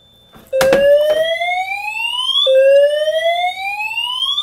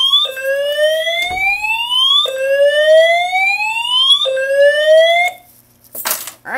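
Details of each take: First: Simplex 4010 panel with multi-tone horns, reactivated pull station: loud rising sweeps about two seconds each with abrupt restarts, horns doing a double-skip catch-up after the panel lags or misses a signal; timing off, cause unknown, only happens with these horns. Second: Simplex 4010 fire alarm panel multi-tone horns after pulling a 4099-9006 dual-action pull station: loud rising whoop about every two seconds, clean and steady; normal horn signal.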